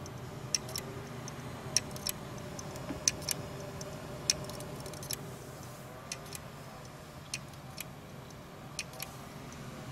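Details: Seagate 1.5 TB hard drive: sharp, dry uneven clicks every second or two over a low steady hum.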